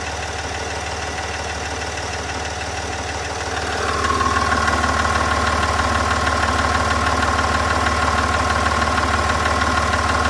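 Steady diesel idle with a fast, even tick around three per second riding over the clatter; cause not yet pinned down.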